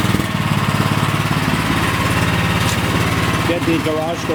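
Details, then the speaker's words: Cub Cadet snowblower single-cylinder engine, after new OEM carburetor (MTD 651p05995) for only-runs-on-choke problem, started on choke with primer: catches, steady even beat about three pulses a second, no stumbling. Normal start and run. "And there we go. All is good."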